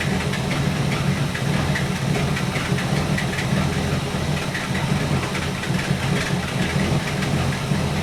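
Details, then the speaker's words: 1964 Buick Electra 225 401 Nailhead V8, warmed up, idling after Carter AFB rebuild; steady low rumble that now and then stumbles and drops out, dwell dipping with it. Intermittent misfire, ignition suspected, unconfirmed. "When she kicks, the dwell is dropping. So when it's behaving pretty good now that it warmed up, but every now and then it starts to drop out."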